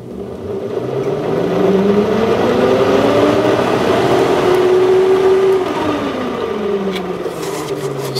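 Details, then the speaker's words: 1995 Sharp Comfort Touch 10,500 BTU air conditioner: loud rough droning with a wavering whine drifting in pitch; rear fan motor bearing damaged beyond repair despite heavy oiling, to be replaced with a new bearing. "unfortunately that rear bearing is damaged Beyond repair so I'll just let you listen to it I I did oil it a lot and it still sounds like"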